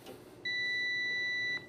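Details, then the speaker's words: Heat Wagon P600 electric heater (P300 similar) diagnostics: meter on continuity across the normally closed overtemp limit switch gives one clear high tone just over a second; continuity present, switch good. "Set your meter for continuity, listen for the noise. This overtemp limit switch should be normally closed. Looks good."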